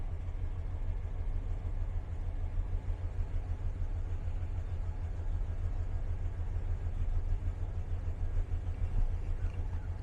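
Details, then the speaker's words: 1999 Dodge Ram 1500 pickup, bought as a non-runner, idling just after a cold start with no throttle: deep, steady, even low rumble with no misses or knocks; normal cold idle. "man fired right up didn't have to didn't touch the gas don't have the foot on the gas yet"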